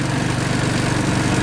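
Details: 2014 Linhai Big Horn 400 UTV after repairs (CDI pulse generator wire, relocated doubled battery, stronger starter solenoid, one fan hot-wired with switch): steady even low thrum at idle, regular pulses, no knocks or misses, fans off; healthy idle.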